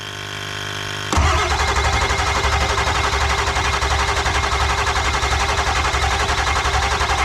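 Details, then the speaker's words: Ford F250 7.3 Powerstroke diesel after failed injector replacement, valve cover off, on jump box: steady rapid cranking about four beats a second that never catches; turns over but won't fire, suspected cranking too slowly. "I think we need to turn over faster I think we should get the other battery and sit on it uh the other battery and the jump box and get the thing s"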